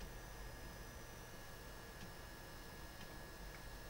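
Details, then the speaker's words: Desktop PC about a minute after Windows loaded, hard drive still accessing: quiet hum with a few crisp, isolated ticks about a second apart; normal hard drive seek activity. "Windows has been loaded for about a minute now and it's still accessing the hard drive which means it's still loading a whole bunch of crap that it really doesn't need"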